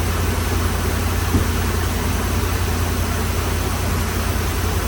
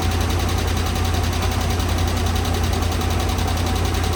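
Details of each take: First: 2013 RAM 1500 5.7 HEMI V8 after replacing damaged pushrods and rocker arm assemblies that were installed wrongly after a cam and lifter job: steady, even idle, ticking gone. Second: 2013 RAM 1500 5.7 HEMI V8 after previous cam and lifter replacement: fast light ticking at idle, about four per second, from passenger side; caused by improperly installed pushrods and rocker shafts, damaged pushrods replaced.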